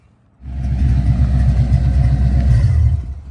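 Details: 1970 Chevrolet Monte Carlo, replacement Chevy 350 V8 with Saginaw four-speed just swapped in, first cruise with hood off; deep even burble pulling away, steady firing, no knocks or misses; healthy running.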